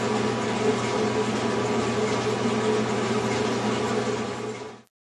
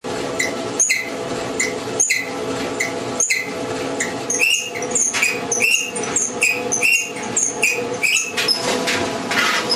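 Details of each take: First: General Electric clothes dryer running with a steady, even hum and rush, no scraping or thumping, then stopping, after replacing the front drum slides that caused the noise. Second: General Electric dryer running: high chirping squeaks about once a second as the drum turns, from a worn front drum bearing and front drum slides.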